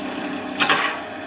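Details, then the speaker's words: Skew chisel planing cut on a wood lathe, edge too high with the heel of the bevel not contacting first: steady spinning hum, then a sudden sharp double rip as it grabs. A catch. "it will grab. This is caused because the bevel, the heel of the bevel, was not brought into contact first."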